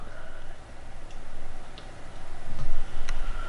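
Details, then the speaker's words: Vintage 1930s-design Teletype Model 19 REC-30 thyratron rectifier (200V, 0.6A) power-up: scattered light ticks about every second over a low hum as the thermal delay relay warms and cycles; normal behaviour. "okay so that's the thermal relay okay okay hang on it's on and should take a little while for us so the the thermal relay takes a long while"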